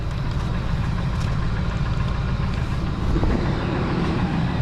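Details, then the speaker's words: 2002 Ford F-150 SuperCrew V8, about 24 years old, wrecked with a bent rear frame rail: steady, even low rumble at idle with no knocks, misses or ticks. Runs good, oil clean, exhaust quiet. Normal idle. "Sounds like it runs good. Oil was clean when I checked it."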